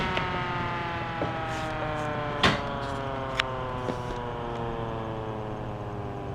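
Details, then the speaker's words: Restored vintage circulator fan with bushings instead of bearings, a model originally made for bathroom exhaust fans, switched off: steady hum with even tones slowly drifting lower and no rubbing; a long, healthy coast-down. "You see, it takes a good long while for it to shut down. And that's surprising because of the fact that this fan actually uses bushings instead of bearings."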